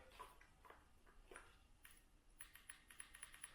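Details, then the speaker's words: 2002 6.0 L LS drive-by-cable engine during prep, injectors pulsed by an 18650 battery on a momentary switch: crisp light clicks about four a second; each injector clicks and works normally. "I don't know if the camera's picking that up, but you can hear it click. And then I move on to the next injector. Do the same thing. I can hear it click. They're working."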